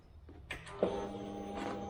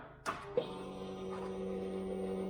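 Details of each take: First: 2008 Kawasaki Vulcan 900 Classic LT, first start attempt in 8 years with new battery: click then faint steady hum for a few seconds, fuel pump priming normally at key-on in neutral. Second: 2008 Kawasaki Vulcan 900 Classic LT, unstarted for 8 years, with a new load-tested battery: the starter clacks and whirs steadily but never turns the engine over, no compression pulses, a seized engine; the owner suspects the starter.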